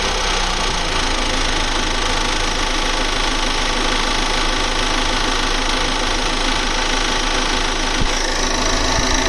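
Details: 2020 Volvo V60 B5 petrol, 21k mileage: fast, busy ticking rattle that grows louder and quicker with rising rpm; with engine plastic cover removed it seems to come from around the fuel pipe, cause unknown.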